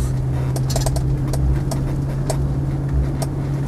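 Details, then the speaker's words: Land Rover Defender 90 50th Anniversary, 4.0 V8 automatic, driven on the road from stone cold: light irregular cabin rattles over a steady engine drone, from the passenger seat; owner suspects a loose seat bolt. "the passenger seat does rattle slightly May there a loose uh a loose seating bolt or something on it"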